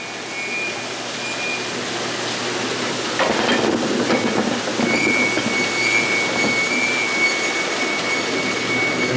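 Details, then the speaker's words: Potato washer loaded with freshly dug potatoes: steady high squeal over rumble and rush, caused by the heavy potato weight on the washer; harmless load squeak. "you hear that squeaking that's just a lot because all those potatoes are a lot of weight on the washer but it's not going to hurt nothing"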